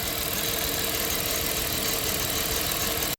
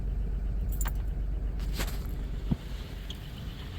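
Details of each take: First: 1997 Dodge Caravan LE idling with number three plug wire disconnected, no check engine light: faint unevenness under hissy background, one cylinder dead; misfire from the disconnected plug wire. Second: 1997 Dodge Caravan LE, first start after replacing the rod and main bearings, once oil pressure has built: low, steady idle rumble with no bottom-end knock, just a few light valvetrain clicks on top. Normal idle.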